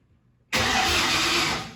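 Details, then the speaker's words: Factory Five Mk4 Cobra replica before first start, fuel pump and injector fuses pulled, ECU powered: about a second of steady starter whirr turning the engine without firing; healthy cranking, ECU reading engine speed from the EDIS module. "i've pulled the uh fuses for the fuel pump and for the injectors so those will not be firing um but the ecu breaker is in so i'm gonna crank it"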